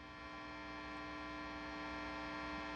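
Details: Matchless Lightning Reverb tube guitar amp: steady, unbroken buzzing hum at fixed pitch with no rhythm or level change; hum is picked up in the reverb tank cabling outside the shielded chassis.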